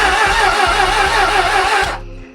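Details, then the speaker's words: Non-running 1996 Suzuki Bandit 600 (GSF600S), first crank attempt, previously cut power on highway and never ran again: starter whirs with sluggish compression beats about four a second for two seconds, no firing; compression sounds low. "It sounds like it has compression. It sounds low."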